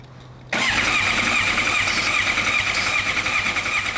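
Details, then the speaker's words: Suzuki GSX-R750 project bike with starter fluid and new ignition key: starter spins steadily but engine never catches; starter and electrics work, fuel is picked up, owner suspects missing spark. "And spark, which I think is the most likely. And the one that sounds the most logical. Spark is the thing that is probably missing here."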